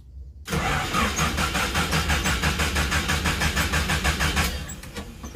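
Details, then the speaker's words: Colt T120 pickup that won't start in the morning: steady starter cranking about three turns a second for several seconds, engine never catches; owner suspects it is acting up from sitting unused. "Nah itu kalau sudah tidak mau hidup Ya udah nanti aja nanti paling pun hidup sendiri dia ngambek paling karena alam ada dipakai ini"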